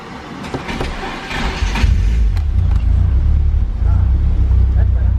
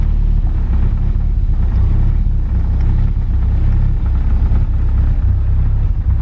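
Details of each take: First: Car on a speed density remap, restarted after reconnecting an unplugged wire at the breakout box and moving the sensor from bank 0 to bank 1. The engine catches and settles into an even, steady idle with a firm low rumble and no stumbling; it runs much better. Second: Car being remapped to speed density, early start attempts. A low, uneven rumble lumps and stumbles instead of settling. The MAP sensor reads only 1 volt; the owner suspects wiring, a bad sensor or a boost leak.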